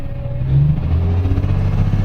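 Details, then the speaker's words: Isuzu Forward diesel truck, code P0336 crankshaft position sensor, long cranking and no check light: deep diesel rumble revs up but surges and jerks unevenly under throttle; hesitation traced to loose crankshaft position sensor connector. "RPM भी तो पूरा ले रही है, billing भी कर रही है, झटके भी ले रही है गाड़ी। ये ऐसे झटके भी ले रही है।"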